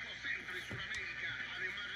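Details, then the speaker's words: RCA AR-77 communications receiver, warmed up and tuned to a known station, volume fully up: steady hiss with faint crackle over a weak station that never clears despite adjustments; static fault of unknown cause. "so I pretty much have to turn the volume all the way up to hear the channel and in the channel you can still hear feedback SL static"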